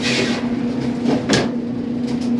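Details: 20-year-old Whirlpool dryer LEN2000PW0 after fixing dirty motor wiring and reconnecting the motor switch harness: a steady low motor hum, drum turning evenly, a few handling clunks; the dryer now starts and runs normally.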